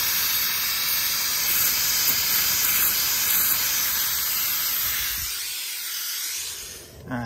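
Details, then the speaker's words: Goodman heat pump outdoor coil pressurized with nitrogen, nitrogen being let out; sharp steady hiss of escaping gas fading as pressure drops at a leak spot in the coil, later cleaned and brazed; unit had not been heating. "right uh you probably won't show up on cam but the leak is right there"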